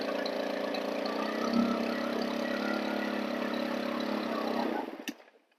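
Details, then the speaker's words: Stihl FS 110 4-mix (four-stroke) engine with an air leak at the crank seals: slow return to idle, then an uneven, hunting fast idle that falters and dies; it responds wildly to the low mixture needle, rich stumbles, lean revs high. "so that is a telltale sign that if you can't if it won't adjust and it just goes to one extreme to the other from almost stumbling and dying when you give it just a little bit more fuel and whenever you lean it out the engine just revs high as a kite"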